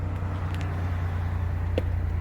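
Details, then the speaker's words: Chevrolet Impala after repairing a sudden no-start with no power to the starter, battery reconnected: smooth even low idle rumble with no misses, knocks or starter noise; car recognizes everything again and runs normally. "and that's it car back working um that was my issue car recognized everything"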